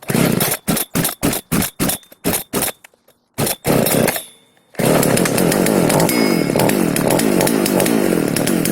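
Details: FK136 chainsaw after no-start diagnosis and repair, refuelled, choke pulled; a few sharp pull-start bursts, then it catches and settles into a steady, even run with no misfire; healthy.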